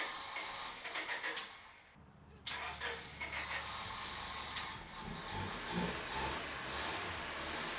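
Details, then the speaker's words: EK Honda Civic after swapping in junkyard IACV/throttle body: long crank, pause, then slow ragged catch; still hard starting, owner suspects clogged fuel filter from debris after car sat five years, though idle now good. "all right so it still had a lot of trouble starting i'm thinking that the fuel filter is kind of pretty clogged up"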